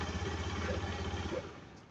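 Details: Fuel-injected scooter with its disconnected fuel pump plug reconnected, kick-started since the battery is drained: catches and settles into a steady single-cylinder putter with no misses; starts and runs fine.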